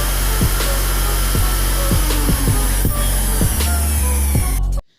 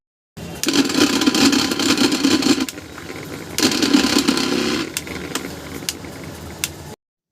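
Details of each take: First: Mixer grinder after bush replacement and reassembly, tested: motor hums steadily at full speed, smooth and even, with music over it; the earlier excessive noise is fixed. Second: Mixer grinder motor runs loud and rough with a harsh rattling roar; the coupler wobbles because the motor shaft bushes are worn and damaged, to be replaced.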